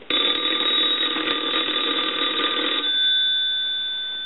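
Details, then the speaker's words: Pottery Barn Grand Phone after repair: bright, fast bell trill for almost three seconds with clean decay; ringer works and the line is now quiet. "I'll let that go two [Applause] times give you some D tone and so that's nice and quiet now"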